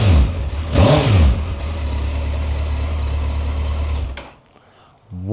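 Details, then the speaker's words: Unmodified Suzuki GSX1400 barn find, about 2,188 miles, stored 23 years: a few sharp throttle blips, then steady even idle with no knocks or misses, smooth like a sewing machine; normal running. "What do you think to that? It's like a sewing machine. It's like a sewing machine."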